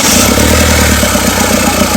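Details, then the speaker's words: Mahindra Xylo diesel after repairing the camshaft signal fault (P0340), which had caused a no-start: steady diesel clatter at idle with an even beat and no stumbling; the engine now starts and runs properly. "So இந்த வண்டியில் இப்போ camshaft signal பிரச்சனையை நம்ம தீர்த்ததுக்கு அப்புறம் தான் வண்டி start ஆகுது."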